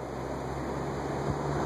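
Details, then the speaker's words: Montgomery Ward Signature 20-inch 3-speed box fan (believed Hunter-made), dry bearings temporarily lubed with WD40, on medium drawing about 1.65 amps: smooth steady low hum with even airflow, no squeal or ticking; motor running healthy. ".16 amps, and that is quiet, and that is moving some air. That is a nice fan."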